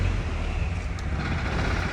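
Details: 1972 Range Rover Classic Suffix A diesel being recommissioned, first start after sitting: heavy, steady low chug at cold idle with choke, rough from the cold but even, no knocks, smoking somewhat; normal cold idle.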